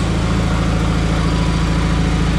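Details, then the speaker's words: Rebuilt John Deere 317 tractor engine after reassembly: steady, even low rumble with a smooth firing beat and no knocks. It had two intermittent shut-off backfires, and top rpm seems about 3000 instead of 3450. Normal running. "some sounds really good runs really well it does have a intermittent shut off backfire"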